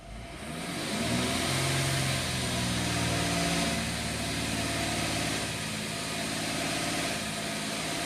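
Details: 2013 Mercedes ML350 naturally aspirated engine with cam timing codes, extended cranking and start-up rattle: idle swells and settles with no throttle input; surging coincides with oil pressure warning, oiling issue suspected.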